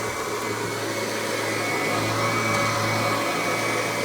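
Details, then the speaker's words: Kirby G3 Ultimate upright vacuum prototype with newer replacement transmission, tech drive self-propel engaged: constant motor roar, low steady hum, no grinding or clatter; owner credits quiet to new gear ratio. Quiet normal drive. "listen to how quiet that transmission is you can barely hear it which is one nice thing about these newer replacement transmission mostly has to do with the gear ratio"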